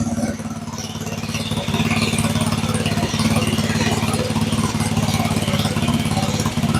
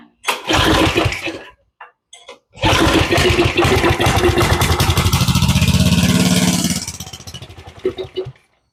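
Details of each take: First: Go-kart with a 7-horsepower engine that had been sitting, after turning the slightly high idle down a touch: steady, even idle at about three and a half pulses a second with no misses or hunting. Normal idle. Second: Go-kart 7 hp engine that sat a while, with a rough-looking carburetor, pull-started with starter fluid sprayed into the throttle body: small single fires, a sputter, then it runs briefly and dies; runs only on starter fluid, clogged carburetor.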